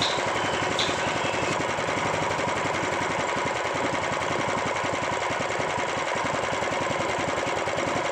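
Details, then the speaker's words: Honda GX390 small engine, hard to start: harsh rapid clatter, clicking and steady knocking over the running engine; cause suspected, not confirmed, before teardown and repair. "Mesin sedang menyala. Suaranya kasar sekali, teman-teman. Bunyi klik dan derak, dan apakah suara mesinnya normal."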